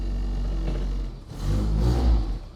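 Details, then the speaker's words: 1969 Mini Pickup after clutch release bearing repair: small petrol engine idles and rises briefly with a blip, no squeal or grinding; clutch release now completely silent. "so that sounds great there's no sound from the clutch release mechanism at all it's completely silent"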